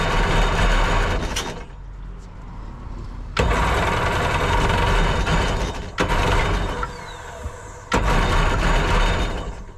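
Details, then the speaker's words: Jet boat engine, missing a hose to the firewall (owner unsure, thinks pressure hose): rough bursts surging and dropping out every couple of seconds, rich choked running; choke stuck on from a kinked choke line, likely needing replacement. "the choke is stuck on yeah look you can see see have the choke stuck I'm trying to push it in right now but it won't"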